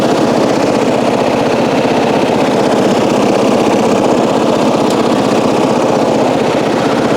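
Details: 1994 Coast to Coast riding mower with a Briggs & Stratton engine, revived after years abandoned, new spark plug, gas of unknown age: small single engine running with an even, steady chug, no misses or knocks; normal running, though it still needs a battery and starter-switch work to self-start.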